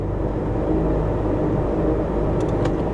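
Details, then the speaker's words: Air-ride Mustang with dark, aerated fluid, running in gear: steady rough grinding churns under the engine plus a few sharp clicks; owner suspects an axle shaft, but it doesn't catch when steering, unconfirmed. "I swear that's an axle shaft let's turn it all the way the other direction see if it does anything different"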